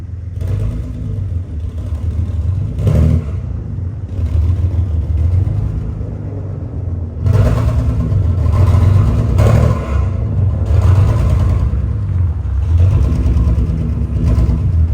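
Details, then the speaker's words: 2011 BMW E90 328i: a low, lumpy idle with an uneven stumble and shake from a dead cylinder. Misfire traced by unplugging coil packs to a failed cylinder six ignition coil. "well as you can hear not running too good uh I started unplugging the coil packs as I was going before I started recording and I found out that it's a cylinder six coil pack"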